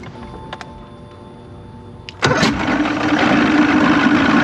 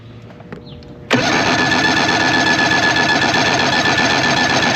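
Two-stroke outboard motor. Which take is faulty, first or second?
first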